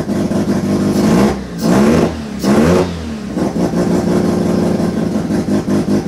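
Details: Turbo II FB RX7 rotary engine running for the first time; barks through uneven throttle blips, then settles into a lumpy, hunting idle and smokes out the garage. Rough running, with a few kinks still to sort out.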